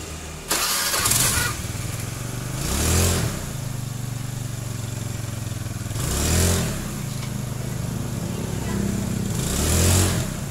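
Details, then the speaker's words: Honda Beat scooter after repair of a shudder and jerk on take-off caused by unevenly worn clutch linings: it starts and revs every few seconds, pulling away evenly with no shudder or jerk. The clutch engages smoothly. "Alhamdulillah, masalahnya sudah teratasi, saudara-saudara."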